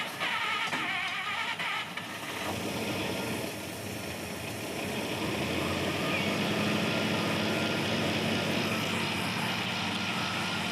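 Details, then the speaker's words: Pontiac Chieftain project engine on a stand-in two-barrel carburetor with accelerator pump fitted so it can rev; picks up cleanly and holds a steady, even drone with no stumble or bog; smooth revving. "Sounds so much better. Yeah."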